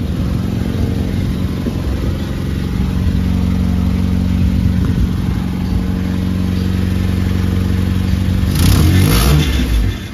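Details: Nissan Sentra with crank-no-start complaint, after fitting a replacement test fuel pump: engine starts and runs at an even, steady idle, then picks up cleanly on a short rev; running normally, a rattle from the exhaust noted afterward.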